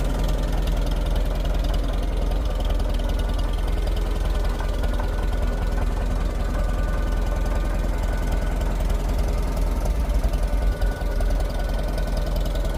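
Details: Fully restored 1958 Farmall 450 tractor after engine tune-up: steady, even low putter with no knocks or misses; running perfectly, normal smooth idle.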